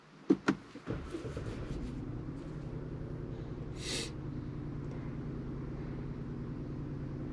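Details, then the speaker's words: 2022 Genesis GV70 3.5 L, 25,000 km, code P0301: engine starts and idles lumpy and shaking from cylinder 1 misfire; short-term fuel trim up to 26%. "So, right now it's still misfiring right now."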